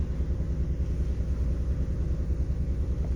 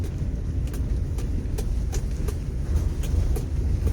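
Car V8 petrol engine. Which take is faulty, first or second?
second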